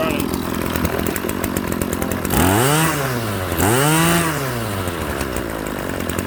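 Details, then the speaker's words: RedMax BCZ260TS trimmer that was high-revving with a stuck throttle, after throttle cable and fuel line replacement: the two-stroke settles to a steady idle between two quick throttle blips, dropping back cleanly each time. It no longer hangs at high revs. "There we go. No more high throttle."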